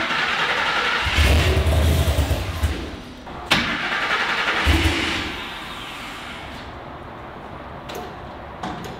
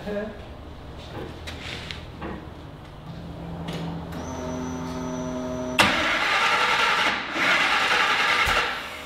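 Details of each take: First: Griz the wrecker truck starting after reconnecting a disconnected fuel pump, idle settings possibly off; cranks, catches and settles into a steady, slightly uneven idle with a couple of blips, running normally. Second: Griz, a wrecker: the starter cranks steadily near four turns a second, with coughs and pops like backfiring, but never starts. The cause was coils wired in the wrong firing order.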